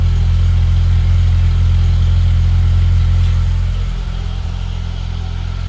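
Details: Citroen ZX Avantage 1.4i TU3 petrol engine just after first start in about 6 months: smooth, even low idle rumble, steady beat, no misses or knocks, no warning lights, not a bit of exhaust smoke; healthy normal idle.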